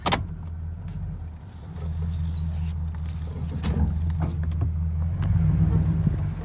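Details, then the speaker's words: 2nd-gen Toyota Tundra, engine idling: sharp pops and clunks as the steering wheel turns, louder in drive or reverse; worn steering rack-and-pinion bushings, also causing recurring misalignment. "so uh this is actually the part that's making the sound right here dragon pinion the steering rack and pinion now watch this part it's movement when i start training the wheel so it does make a louder pop sound when it's in drive or rivers"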